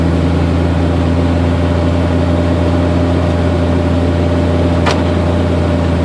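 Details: 1992 Jeep Cherokee with A/C on: steady buzzing whine at a fixed pitch over idle, intermittent, mostly at low RPM or after a quick RPM drop; caused by an overcharged A/C system letting liquid refrigerant reach the compressor.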